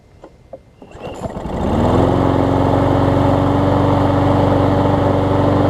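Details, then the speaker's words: Troy-Bilt big-wheel self-propelled mower after carb bowl gasket and self-propel belt work, previously very hard to start: catches within a second or two on a pull, then settles into a smooth even hum without surging or misses; normal running. "I'm going to let it run for a little bit. Just to help make sure it's good to go."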